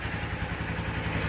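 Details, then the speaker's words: 2023 Honda XR150L, cold, after a valve clearance check (the loose exhaust valve was adjusted, the intake was spot on) and a fresh spark plug: a steady, even single-cylinder thump at low idle with light valve clatter and no misses. Idles well. "sounds like it's running good running steady it's not warm yet"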